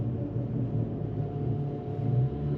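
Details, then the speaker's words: BMW 335i while driving: steady low droning rumble with a wobble, suspected worn wheel bearing awaiting replacement; cause not confirmed. "I gotta do the wheel bearing um y'all here hold on I'm gonna show you what songs they make watch watch this behind me all right you'll hear the wheel bearing"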